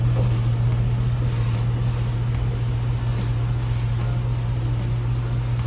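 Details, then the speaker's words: Suburban idling after oil pan refitted, no bottom-end fault found; earlier knock sounded like a bottom-end knock, possibly roller lifter or rocker arm: deep steady idle, even beat, knock largely gone. "but I'm gonna fire it up [Music] that's strange no knockdown"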